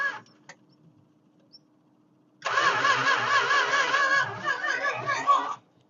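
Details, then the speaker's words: 1969 Chrysler Newport 383 Magnum V8 parked about 40 years, fed by electric fuel pump: steady starter cranking with even chug and no firing; crank no start because distributor wiring was 180 degrees out, number one on the wrong side. "yeah it's a whole 180 out all right that's our problem that's why it's not firing up"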